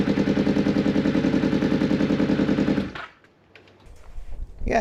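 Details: Newly bought motorcycle running around 8 a.m. with a blowing exhaust and no rattles audible. Loud, raspy chuffing pulses at about three per second for a few seconds, then it stops; exhaust leak.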